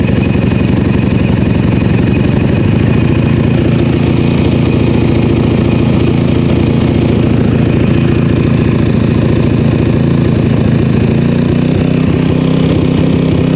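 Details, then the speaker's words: PowerSmart 4400 W generator MB5040B, cold start at 25°F with full choke, eco mode off: steady, even chug with no stumbles for about fourteen seconds; normal idle, running smoothly. "it's now running smoothly"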